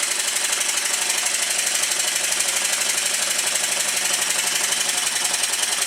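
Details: Stuart triple expansion model steam engine, newly completed, with timing just set, running in on the bench on a rubber mat: quick, even ticking at about four beats a second, light and crisp with no knocks. Normal smooth running.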